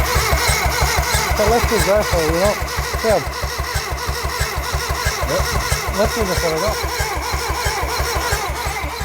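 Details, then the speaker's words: Ford Sierra Cosworth replica, 1.8 engine, sat for 10 years, turned over on the starter without fuel lines fitted: even starter churn around three beats a second, no catching or knocking, engine spinning freely with good compression; normal cranking. "let's it sounds good right so Loom it's turning over"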